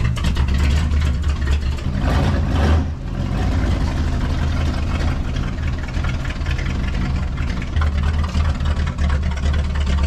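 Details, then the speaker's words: Diesel truck: deep, even rumble with a loud open exhaust and no knocks or misses; running healthy. "That sounds so good."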